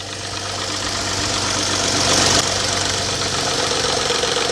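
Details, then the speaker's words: Engine at cold start first thing in the morning: fast, fairly even light top-end tapping over idle that stops suddenly; cam phaser spring mechanism suspected, not yet confirmed by test. "typically you get that noise first thing in the morning or cold it'll just start tapping all right uh-oh y'all hear"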